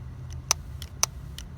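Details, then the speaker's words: 2.4-liter engine VVT solenoid tested with 12 volts applied: crisp clicks about every half second against a quiet hum, solenoid working; the intake-side solenoid gave nothing under the same test. "if I give it power, it's clicking on and off. So that's showing that that solenoid is working."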